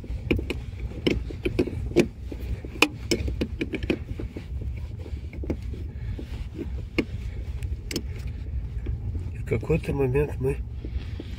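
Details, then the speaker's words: Renault Logan rear shock absorber knocking over bumps on rough road, like a loose rear muffler, sharp hollow knocks over road rumble; top nut tightened almost fully causes it, fixed by slowly backing the nut off. "стук, как будто глушитель сзади расшатался. Гайка затянута почти до упора."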